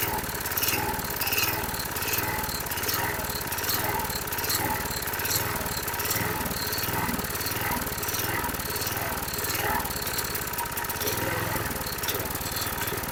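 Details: 2005 Troy-Bilt 21" push mower, engine 129K02, just started after priming: a rough, chuffing single-cylinder note hunting up and down; the primer bulb smooths it, then it surges again, showing fuel starvation, probably carburetor deposits.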